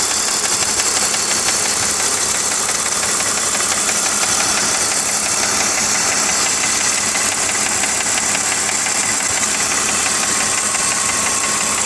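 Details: BMW E46 325Ci with M54 engine, warm, at idle: light, fast, slightly uneven ticking, about three per second, over smooth idle at the front of the engine; ticking only at idle.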